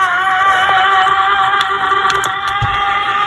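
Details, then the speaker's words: c1964 Stuzzi reel-to-reel tape recorder with non-original replacement motor, polarity reversed to run the correct direction, bare metal motor gear. Steady whirring with a rough gravelly growl from gear meshing: motor drive gear growl. "let's put a piece of heat shrink on the motor gear and let's see if we can get that to quiet down just a little bit"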